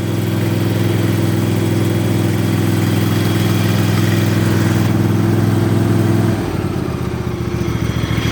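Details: Yard Machines single-cylinder mower in cold weather around 30–33°F, valves recently adjusted, started on a charged battery with jumper cables: loud, steady, even low drone settling to a slightly lower idle; normal idle, battery suspected weak.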